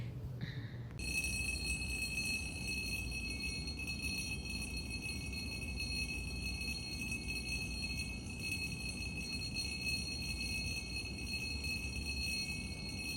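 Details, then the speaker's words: Early morning in a kitchen: a steady, high, bell-like ringing from two glasses touching on top of the refrigerator and chiming from its vibration. The sound stopped once the glasses were moved apart. "So sudden గా kitchen కి వెళ్లి చూసేసరికే ఆ రెండు గ్లాసులు ఒకదానికొకటి touch అయిపోయి ఒక sound ని క్రియేట్ చేశయి అన్నమాట."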